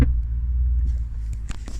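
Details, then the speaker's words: BMW M6 Gran Coupe F06 with DCT, mic held over the centre console, engine auto-restart on lifting off the brake: deep rumble then a few sharp knocks; owner suspects gearbox vibrating against the transmission tunnel, unconfirmed. "I've noticed like a knocking noise it's as though the gearbox is vibrating against a transmission tunnel"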